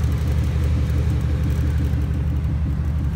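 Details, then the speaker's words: Pontiac GXP after going mudding, driven by owner's friend: steady low engine drone with a faint regular pulse about four times a second; noise from the front, annoying but minor per owner, cause unconfirmed, repair scheduled. "that sounds bad but it's really not that bad it's just an annoying noise but it is getting fixed"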